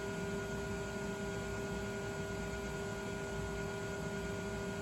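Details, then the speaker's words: Original MFM hard drive in an old Compaq 386 that had been squealing and squawking, after a simple fix: quiet steady whir with constant tones, no squeal, about a minute after power-up. Normal hard drive spin. "Hopefully, it just sounds like a traditional spinning hard drive and go."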